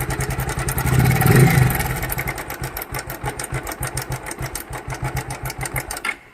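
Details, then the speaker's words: Bajaj motorcycle single starts, revs, then idles with a pulsing rattle about three to four beats a second until shut off; loose timing chain and tensioner. "ये देखिए इस तरह की आवाज़ आती है। तो आपको इससे घबराना नहीं है कि ये कितना साउंड आ रहा है, हमको कैसे रिपेयर करेंगे।"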